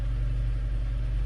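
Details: 2018 Hyundai Elantra with stalling and top-end rattle on downhills, first startup after repair, oil pressure gauge attached: smooth steady rumble at raised idle around 1300-1500 rpm, 84 psi oil pressure, no knocking; normal idle.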